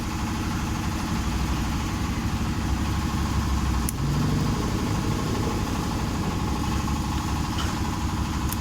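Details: Honda Vario 125 scooter at steady idle, even low putter, no hunting or stumbling, fuel spray judged normal; test after replacing the throttle position (TPS) sensor and fixing the faulty temperature sensor that caused mid and full-throttle hesitation.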